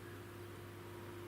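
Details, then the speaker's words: Ferguson Stereo Minor 3025 record player after replacing drifted high-value pickup-load resistors: faint, steady low hum just audible from about volume 8, even in both channels; only a slight mains hum at high volume. "okay to turn the volume up five eight I can just begin to hear a hum"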